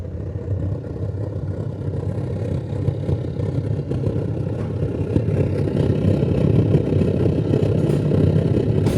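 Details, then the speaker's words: Oil burner on its first run with the higher oil circuit opened and set high, heard with the door open; steady low roar with soft fluttering rumble, no popping or surging, clean burn: normal burner roar. "you can hear the burn is starting to get a little more serious if we open the door you can really hear it's set pretty high right now"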